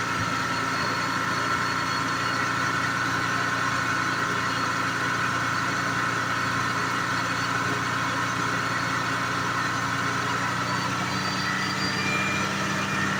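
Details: 1986 Jaguar XJ6, unstarted for two years, after fuel pump change and refitting parts: even, settled idle hum for over ten seconds with no stumbling, surging or tapping; engine runs healthy.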